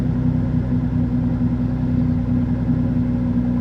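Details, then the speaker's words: Nissan idling after a brand-new sensor was installed on the driver's side and the cylinder-two misfire code was cleared: steady, even idle with a constant low hum and no skipping or stumbling, so no misfire heard. "But it doesn't sound like there's a misfire happening. At least not to my knowledge anyways."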